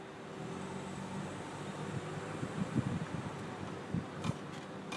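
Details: Car braking: a few sharp irregular clicks and low knocks over a steady hum from the driver's side, only when braking, not turning; persists after resurfacing the rotor and replacing pads.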